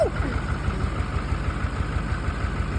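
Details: $900 Duramax crew cab short bed, after starting on two batteries: steady low diesel clatter at idle with even rhythm and no misses or knocks; normal diesel idle.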